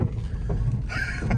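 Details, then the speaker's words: Civic converted to convertible, driven off-road with deep engine and road rumble; harsh grinding heard inside, first suspected heater fan or blown axle, worsening, with scraping bursts as if something is dragging on gravel underneath. "that might be just be something Dragon because that sounds like it's dragging on gravel"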